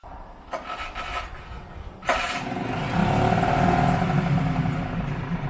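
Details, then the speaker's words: Yamaha F4 4 hp 4-stroke outboard, stored about five years, after fixing a hydrolock and refilling oil: a couple of pulls, then it catches into a steady, even putter with no misses or knocks; smoke from leftover cylinder oil; running and idling fine. "Seems to be running great and idling fine. So, I think we're ready to go."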